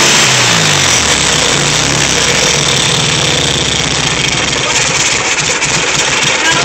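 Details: VW Type 3 1600 cc single-port engine, first start after rebuild: air-cooled flat-four ticks over with a busy, fairly even beat and plenty of top-end clatter; fresh engine idling normally.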